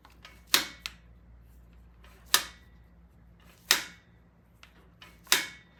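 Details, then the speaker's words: 1975 Norton motorcycle carburetor, setting initial idle: crisp single clicks about every one and a half seconds as the slide seats against the idle stop screw, heard through a screwdriver; contact point used to set 1.5 turns. "So you can actually hear the slide hitting if you just hold the screwdriver on the end like that. You can feel it."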